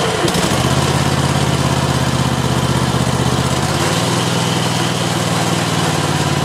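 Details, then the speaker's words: Exmark zero-turn mower after refitting a thrown drive belt and removing debris wedged underneath: engine starts and runs steady and quiet, clicking gone. "nice and quiet all right all right so it looked like that got it"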